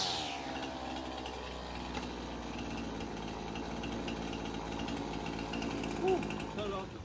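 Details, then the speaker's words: Older Husqvarna 225L straight-shaft two-stroke trimmer after carb replacement, tune-up and fixing pinched new fuel line: fired after three or four choked pulls, steady high-pitched idle choke off, no stumbling or surging. "three or four pulls with the choke on she fired right up and then took the choke off she's idling great feels like it's taking the gas really good so I think we got a winner here guys"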